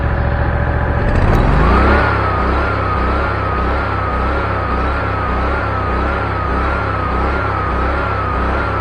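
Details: New Ferris ProCut Z commercial zero-turn mower: engine revs up then hunts steadily, rising and falling about three or four times a second when throttling up with blades engaged; governor surge, later improved by setting governor to its last position down.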